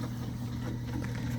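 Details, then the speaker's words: Home aquarium sump running noisily: a steady low hum with uneven rushing over it because the drain valve is open too far; fixed by turning the knob gently a little tighter, which nearly silences it. "as you can see this thing's being like really noisy right now hopefully you can hear that to fix that you go down"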